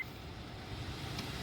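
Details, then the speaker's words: 2004 Honda CR-V cabin blower, dead before, after replacing the blower motor resistor: steady, even rush of air with no rattle, squeal or ticking; blower fan working again, normal operation. "And you can hear we got the blower fan back."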